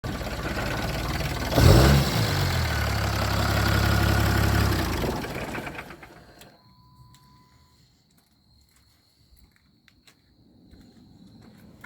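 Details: 6.7 Cummins diesel catches and idles unevenly for a few seconds, beat sagging and stumbling, then dies to silence; rough idle then stall.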